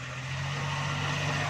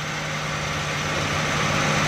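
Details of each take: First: Suzuki Ravi reversing slowly after the gearbox was opened, a bearing fault repaired and refitted. A steady low drone with no whine, grind or knock. The earlier loud reverse-gear noise is gone and the gearbox sounds healthy. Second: Suzuki Ravi in reverse gear at idle: steady low growl and rough grinding hum, noise also in first and second gear; suspected broken bearing or other broken part inside the gearbox, to be opened for checking.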